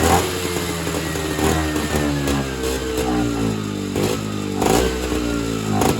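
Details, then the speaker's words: Evinrude Bobcat 25hp snowmobile after sitting 20+ years, on mixed fuel: buzzy two-stroke rasp wavering and sagging; suspected fuel bypassing the carb back to the tank, so it only runs on supplied fuel. "So, what I think is happening is the fuel is just bypassing the carburetor and returning back to the fuel tank, and it's not actually getting sucked into the engine and burned."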